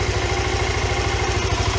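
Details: 1993 Yamaha Riva 125 scooter with a cheap GY6-type replacement carburetor. An even, steady putter at idle with regular firing pulses and no misses or knocks; it idles smoothly.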